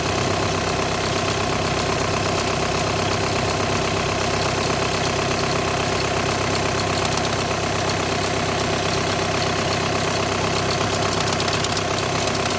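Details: 2008–2014 VW with DSG gearbox at even idle: an uneven chattering rattle at about one or two beats per second. This points to a vibrating DSG clutch plate or plate bearing.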